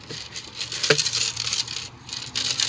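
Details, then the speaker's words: 1996 Dodge Ram 1500 old headlight assembly, removed and broken: loose gritty rattling in bursts as the housing is shaken, owner suspects dirt or blown bulbs inside. "a bunch of dirt or blown bulbs in there or something."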